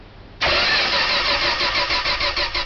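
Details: 1972 Dodge Tradesman van, primed, air cleaner open: starter cranks steadily with even chug but engine never fires; points being cleaned and filed, new condenser, spark check planned; no spark suspected.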